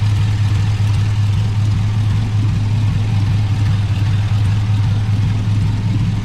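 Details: GMC Sierra 5.3 LS V8 (stated as 2005 or 2006) idling on first startup after a broken lifter was fixed with a BTR Truck Norris cam and LS7 lifters, no muffler: loud, deep, even idle with slight lope, no lifter tick or misfire; healthy.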